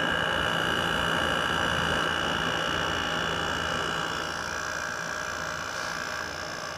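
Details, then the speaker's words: 2019 Comfort Aire 8000 BTU window air conditioner with GMCC rotary compressor, fan on low: steady even hum, constant mid tone, smooth airflow, no rattles or knocks; unit works perfectly. Normal compressor operation. "Yeah, this works perfect. There's nothing wrong with it."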